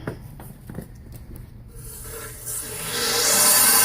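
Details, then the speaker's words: Burnham steam boiler, water coming out of relief valve: automatic water feeder gets 24 V from working low water cutoff but solenoid won't close; supply on gives steady rushing hiss of water pouring through; feeder to be replaced. "But when it comes time to shut off, the solenoid is not closing."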